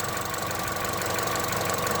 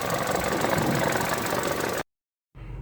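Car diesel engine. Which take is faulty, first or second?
first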